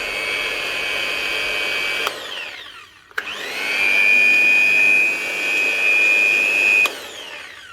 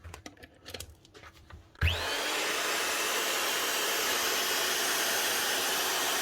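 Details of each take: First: Hitachi G23SS angle grinder with a steady high whine that dies and restarts, running at only half speed and never reaching full scream. It is running slow on low supply voltage; miswired live or neutral to earth in the plug can also cause half speed. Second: Hitachi G23SS grinder after rewiring a plug wrongly wired to earth that made it run at half speed: spins up to a steady even high whine, no rattle or grinding; normal running at full speed and power.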